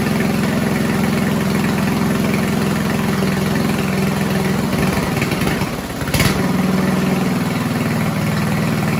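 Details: 1970s Roper 1032 snowblower, probably 10 hp Tecumseh single-cylinder, first run on repaired carb with JB-welded bowl: idle drifts, sags midway, picks back up; lean carburettor hunting.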